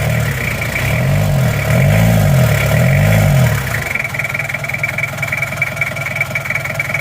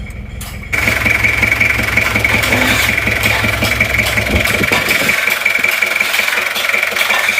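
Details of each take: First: Toyota Kijang LGX diesel after valve clearance adjustment by replacing one shim, air filter removed: revs briefly then settles into a smooth, even idle with the bok-bok noise gone. Normal idle. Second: Toyota Kijang LGX diesel at idle with a rough "bok bok" puffing about three times a second at the air filter, louder with the filter off, like compression blowing back into the intake manifold; cause is intake valve leakage from tight valve clearance.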